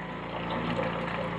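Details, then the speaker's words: Flojet LF-12 water pump running on 9V 1A with the tank nearly empty: fast, even diaphragm pulsing with a gurgling, hollow edge as it sucks air yet still draws water; it cannot build pressure to shut itself off. "oh it sounds like it's sucking in it's amazing it's still managing to suck something out of there tank's empty as far as i can see"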